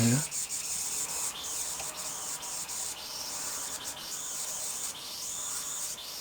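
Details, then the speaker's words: Model steam loco just converted from SM32 to 45mm gauge, put into gear while getting up steam: steady sharp hissing with irregular spitting bursts, no exhaust beat; it won't run, water coming through the piston, cause unknown. "put it into gear and now nothing's happening there yet shut that for a minute [Music] I'm very surprised nothing's happening but it's not just going to blow this off even more"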